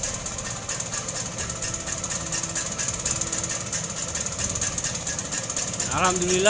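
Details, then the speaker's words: Vespa two-stroke that backfired after repair, fixed by doubling the worn condenser with an external one: even idle, clean quick throttle response with no popping or backfires. "Dan hasilnya lumayanlah sudah bisa lansam. Tarikan juga enteng. Gas gas kontannya juga responsibelnya bagus."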